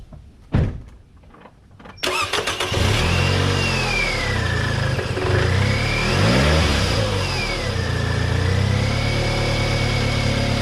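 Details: 2009 Scion xB, first start after alternator replacement and battery terminals cleaned: cranks briefly, catches quickly, settles into even idle with a couple of clean revs, no odd noises; normal start and run.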